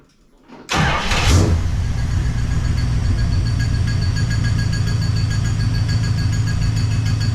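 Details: 1969 Plymouth Fury III V8 after rear main seal replacement, noise from the front of the engine, alternator and power steering belts removed. It settles into an even idle with a faint steady metallic rub.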